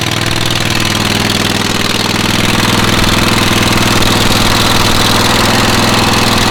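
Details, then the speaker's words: Rusty auction John Deere riding mower running: loud raspy idle with blunt exhaust pulses about four per second, harsher than stock from muffler with holes. "muffler's got a couple holes in it so probably not going to be as quiet as we think"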